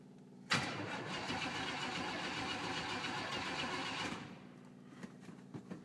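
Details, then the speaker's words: 1966 Impala barn find, sat about two years, oil low: the starter cranks hard for a few seconds after pedal pumps, then the engine catches and runs rough. Sounds a little low on gas; hard starting, cause suspected, not confirmed. "few more pumps it actually fires and will run that sounds like it's little on gas there she"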